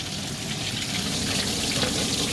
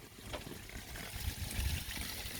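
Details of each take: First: DIY bakki shower pond filter of three 51-litre boxes, media only in bottom tray, spray bar working: constant loud hissing splash of water falling through bare trays; noisy because no media in there yet. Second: DIY bakki shower pond filter running with 75 kg of media now in place: a soft, low, even trickle with no splashing; much quieter than before the media went in.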